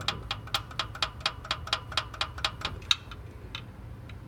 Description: This Prius came in with an engine knocking sound.